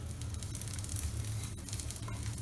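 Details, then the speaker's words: Elite Drivo home trainer after cleaning its belts and treating them with silicone spray instead of grease: low, smooth, even whir with no squeak or chirp; belt drive running quietly and normally. "can hear or probably not here I don't have any squeaking noises or anything so I think this would work for many years to come"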